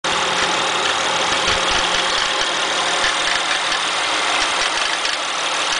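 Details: Acura TL at idle: a loud, constant hissing rush from the engine bay with almost no low thump over a steady idle; a strange noise of unknown origin.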